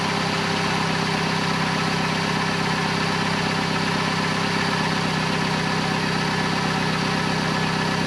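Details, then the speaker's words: 2008 Vauxhall/Opel Corsa 1.2 petrol after replacing the exhaust middle section up to the catalytic converter, with the lambda sensor refitted. Smooth, even idle with a steady low drone and no blowing, ticking or rattling; the car is much quieter and running normally. "And there we go. The car's much quieter. We changed the exhaust and it's all working great."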